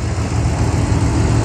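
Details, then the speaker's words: 2020 Ford Mustang GT V8 (5.0), front-end damaged salvage car at Copart, parking brake engaged, 160,000 miles, some oil stains: smooth, deep, even idle rumble with no ticks, knocks or stumbles; engine sounds very healthy. "I mean this thing sounds very healthy parking break engaged yeah that's fine I mean wow not bad definitely worth playing and check it out engine sounds very healthy"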